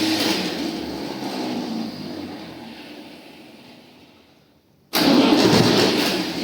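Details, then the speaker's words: Tractor diesel, first start after engine rebuild: starter churns and fades out to silence, then diesel suddenly fires and runs rough; slow to catch while diesel fuel primes, starter also needs work. "ну понятне діло що поки там солярка прокачалася"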